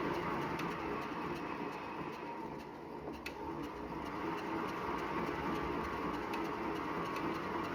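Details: Wahoo Bike Shift after 379 km: quiet steady scraping rub about three times a second, with every full pedal stroke; drive belt rubbing, warranty claim.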